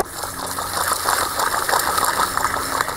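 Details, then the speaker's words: 2008 Chevy Impala front hub removed and turned by hand: rough gritty rumble with uneven chatter, the noise heard driving down the road; worn aftermarket front wheel bearing grinding, hub replaced. "That's what we were hearing going down the road."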